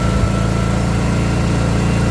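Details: Greenfield 4000 W inverter generator with electric start, after starting and taking the choke off: steady, even engine hum with smooth low drone, no misses or knocks, running normally.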